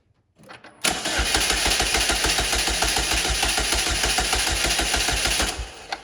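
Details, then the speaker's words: 2008–2012 Chevy Malibu 2.4L Ecotec after engine reinstall (bent valves). Cranked with the fuel rail harness disconnected to prime the oil pump and lubricate bearings. Steady, even chug of about 3.5 beats per second for five seconds with no firing. Normal cranking, no start. "by disconnecting that what we can do is turn the engine over to let it Prime the oil pump and lubricate those bearings"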